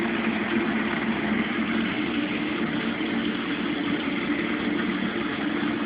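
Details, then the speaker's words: Mueller Special Brazilian washer, cold-fill-only machine that heats water itself, duvet load on 60°C wash with extra rinse, start of cycle: steady even rush of water into drum over faint low hum, no knocks or grinding; normal cold fill. "This machine is cold fill only. And it started to wash."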